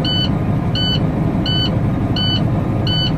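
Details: Diesel truck just started after an EGR tune-up, with the back pressure sensor still unreplaced: steady low idle with a repeating high beep about every 0.7 seconds; the engine runs smooth and even.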